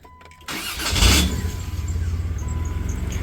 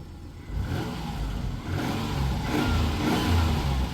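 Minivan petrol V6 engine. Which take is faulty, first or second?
first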